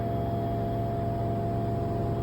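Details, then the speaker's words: LG front-load washer with a 3kg load spinning at its set 1400 rpm, phone held close to the machine: an even, steady hum with a constant low drone and no knocks or rumble. A glass of water stays still; the spin sounds healthy. "cái thời lượng còn khoảng 4 phút như thế này thì Đấy tức là máy nó đang đạt đến cái vận tốc cài đặt là 1400 rồi đấy ạ"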